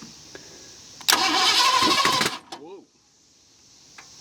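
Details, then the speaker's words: 1970 Ford Mustang V8, abandoned for years, throttle pegged wide open: starter grinds about a second then a sharp pop out of the open intake manifold; backfire while cranking. "what the heck was that I think it backfired oh it's it's popping out of this manifold that's open"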